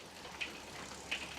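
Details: Bicycle rear derailleur after replacing the shift cable and adjusting, shifting through gears 1 to 6 while pedalling: two crisp, clean clicks about 0.7 s apart, with each shift landing without grinding or chain skipping, normal shifting.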